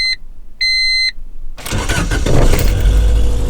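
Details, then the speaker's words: Car on B-series Honda Civic parts hard no-start: two dash chimes, then two seconds of rough churning starter cranking that never fires; owner says it wasn't getting fuel and needs a new fuel pump, suspected not confirmed. "It wasn't getting fuel. I need fuel pump. Fuel pump! I need a new fuel pump."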